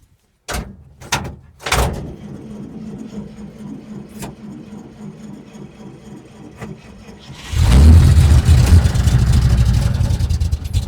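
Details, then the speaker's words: 1947 International truck started with the throttle wide open on choke. It cranks, catches briefly and sputters, later fires into a rough low rumble. Engine starts then stalls; owner suspects the carb or fuel pump, as the bowl seems to fill briefly then drain. "Acts like it's getting just a little shot of gas to fill the bowl up, just enough to run for a second or two, and then drains, empties."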